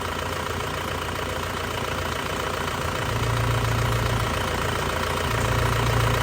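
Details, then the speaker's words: 2002 Panther LS diesel, fully warm, idling: steady, even, stable beat with no limping or extra knocks and no blow-by from the oil filler; a healthy, characteristic engine sound. "ya Mesinnya tidak goyang masih stabil tidak pincang ya biasanya kalau mesin kurang sehat itu juga pincang ya Nah suaranya masih Ci khasnya banget ini kondisi udah panas tanpa keluar rep sama sekali ya"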